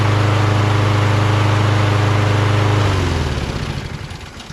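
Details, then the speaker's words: Toro Recycler XT675 mower with Kohler engine after carb ultrasonic cleaning, valve lash and magneto work: steady, even drone with no misses or surging, then winds down; now starts first pull and runs smooth after correcting throttle plate orientation and governor linkage position. "smooth so now it runs smooth starts on the first pool um it was because the governor was too forward you know what i mean"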